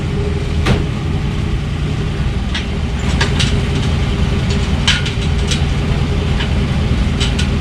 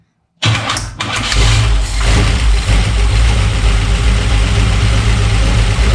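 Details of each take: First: Chevy 350 V8 in 1952 Ford F1 truck after first start, about 45 psi oil pressure, temperature near 170, no fan fitted: steady deep rumble, even low beat, no knocks or misses; running smooth and healthy. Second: Chevy 350 V8 in 1952 Ford F1 field-find truck, first start after over 40 years, carb fed by hand: starter whirs, then catches into lumpy, uneven idle with deep rumble; owner suspects timing slightly off, starter may need a shim.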